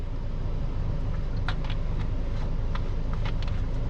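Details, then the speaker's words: 2014 Chevy Cruze 1.4 turbo four-cylinder, warm idle: smooth, even low rumble with no stumble. Cylinder 4 misfire had been logged earlier, worse in damp weather, and a coil pack is suspected, but no misfire occurs now despite being warm. "so far we've not hit a misfire one and it's warm enough now that before we would have had that misfire starting"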